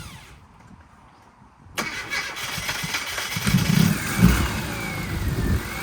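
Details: Classic Mini Cooper, first start after its fuel pump issue was worked on (pump refitted in the tank, terminals cleaned, fresh wiring): quiet, then it catches at about two seconds and settles to a steady, even idle. Normal start; it later overheated.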